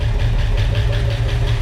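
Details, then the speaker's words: 1965 Ford Mustang V8, first start with used lifters: rough idle with a light, fast ticking over the rumble, all lifters noisy, engine also sounding like it is missing; lifter tick. "the lifter are all making noise they are used lifters"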